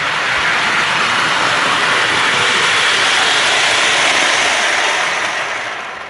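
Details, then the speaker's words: Lionel Alco FA toy locomotive after wiring repair, motor cleaned, relubed and shimmed: fast, even motor whir with no grinding or stutter; runs well and speedy. "Let's fire it up. She runs really good now. Speedy, too."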